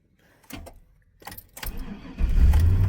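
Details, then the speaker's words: Truck with 187,69x miles, cold in Minnesota winter, sitting since driven that morning: a few sharp clicks with no cranking on first try, then it fires and settles into steady idle; starter clicked without cranking. "Oh, that was weird. It clicked the first time. Huh."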